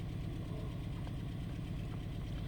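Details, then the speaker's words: 2013 Ford Escape 1.6 L turbo direct-injection petrol idling: uneven, lumpy low beat from a misfire isolated to cylinder 2 by a scan-tool misfire test; exhaust leak also present, compression checks good, dead injector suspected. "عندي مس فاير في نمرة 2. اوكي، واضح ان هو في نمرة 2."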